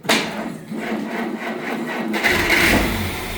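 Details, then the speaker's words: 1940 Plymouth woodie wagon coming to life after the wiring was connected: cranks briefly, catches cleanly and settles into a steady, even idle with no knocks or misses. Start and idle are normal. "Oh, baby, she's a runner. The fuse is lit. Them wires connected means something."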